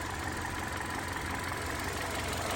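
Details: Hyundai Sonata LPI that would start, run three seconds and stall, after the water-damaged unit was found and repaired: steady, even idle with smooth low rumble, no misses or surges; engine now holds idle.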